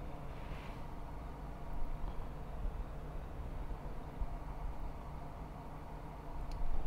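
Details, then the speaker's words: Rode VideoMic GO after a DIY shielding mod against Wi-Fi and phone signal interference: only a soft, even low room rumble with no rhythmic thumping; the mic now records cleanly without interference. "ครับนี่ก็คือเสียงหลังจากที่เราม็อดเรียบร้อยแล้วนะครับก็จะไม่มีเสียงตึ๊บๆๆๆเข้ามารบกวนแล้วนะครับ"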